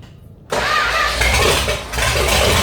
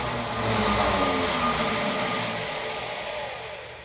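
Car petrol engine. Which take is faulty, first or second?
second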